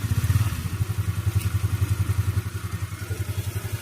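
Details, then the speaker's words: Rusi Flair scooter after CVT repair (drive face had been hitting the fan); small engine idles with a low, steady putter and no longer scrapes or knocks, now quiet. "Sige nga preastart nga tingnan natin kung sasayad pa. Nakarugkog karugkog kapagka sumasayad eh. Ayun tahimik na."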